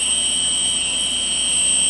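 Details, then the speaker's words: Quadcopter with MultiWii flight controller, ESCs programmed, armed at full throttle: steady high motor whine, all four motors run evenly with no slowing; at lower throttle some motors stop, flight controller issue suspected. "all the motors run fine nobody's slowing down nothing bad happening"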